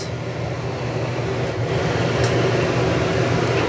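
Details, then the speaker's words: RV rooftop air conditioner on fan only, drawing about 330 W on low and 360 W on high: steady, even rushing fan drone over a low constant hum, no rattles or surging; normal fan operation. "That's on low fan, so just having a fan on pulls about 330 watts."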